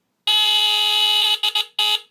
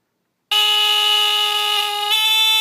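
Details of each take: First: 1977 Sears Early One 350.57046 smoke detector (Fyrnetics F-900D, Kobishi CLB-27 brass squealer horn), second test-button press: loud, raspy, fairly low squeal holding about a second, then breaking into short bursts as pitch sometimes changes; normal test. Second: 1977 Sears Early One 350.57046 smoke detector (Fyrnetics F-900D rebrand with heat sensor), Kobishi CLB-27 brass squealer horn, test button: very low-pitched, loud raspy buzzing that sometimes shifts pitch partway through; cause unknown.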